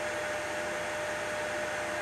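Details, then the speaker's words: Shuttle X PC, CPU fan on motherboard fan header 2 at full power after the CPU fan header proved faulty: a loud, steady airy rush with a constant mid-pitch whine and no ticking or scraping. Working, just flat out. "so that's a problem solved but I'm not going to have it on full power the whole time that noise is horrendous"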